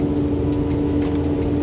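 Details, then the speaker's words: 2009 Ford 6.4 Powerstroke diesel, about 124,000 miles, non-OEM fan clutch and thermostat fitted, held at 2,000 rpm: loud steady fan roar persists after fan is commanded off; fan clutch stuck engaged. "okay right now i've commanded the fan off might take a minute not a minute but it might take a few seconds to to go down and this is staying on way longer than i would expect so i'm still at 2 000 rpm"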